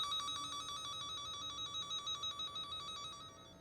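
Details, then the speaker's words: Cen-Tech wire tracker in tone mode tracing an underground dog fence loop with a break: steady loud high beeping about three pulses a second while over the live wire, stopping at the break. "if you're running over the hot wires the noise will be loud if not it quiets down so I traced the fence along the driveway here and I got over to this spot and the device was beefing very consistently very loud and as soon as I hit this area it stopped it stopped beeping"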